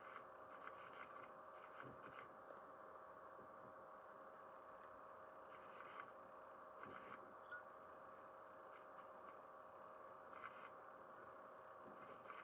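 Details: Laptop's 1 TB internal hard drive makes unusual noises: quiet steady hum with a faint tone, broken by irregular soft scratchy seek chatter; owner wonders if the drive is failing, cause not confirmed.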